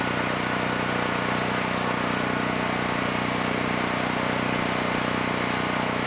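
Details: Generac GP6500E generator after repair of seized engine, warmed up, under load up to 6,000 W near max: steady, even drone without surging or hunting; held 121 V, about 61 Hz dropping just below 59 Hz, no issues handling load.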